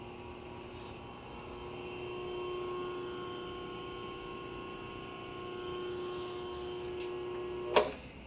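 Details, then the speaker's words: New Baldor 12-inch pedestal grinder, 2 hp 3-phase, model 1215W, on its pedestal: steady, even motor hum with a clean constant tone and no rumble, wobble or rubbing; nice and quiet, smooth, normal running. "This is a 2 horsepower 3-phase unit, by the way, model number 1215W. Nice and quiet, nice and smooth."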